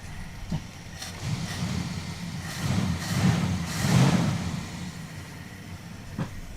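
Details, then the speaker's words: Charger crew-cab V8 with a misfire, left and right banks running at very different temperatures, inline spark tester fitted on one ignition wire: rough, lumpy uneven running with sharp gunshot-like exhaust backfires. "Still misfiring. Hear that? Yep. Nope. Nope. Nope. Shut it off. Shut it off. Yep. That's sounds like gunshots."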